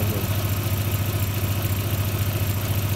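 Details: Audi A3 with about 430,000 on the odometer, after the knock was traced to a loose flywheel and it was tightened: steady, even idle with a smooth low hum and no knocking or ticking. Normal idle.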